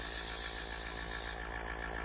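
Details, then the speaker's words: Airbrush compressor, running quietly for an airbrush set-up; regulator with gauge still to be fitted, rated up to 40 PSI with 3–5 PSI wanted. Faint steady hum with a light whirr, no knocking or rattles: normal compressor running. "again I'm doing this with the air compressor running can you hear it"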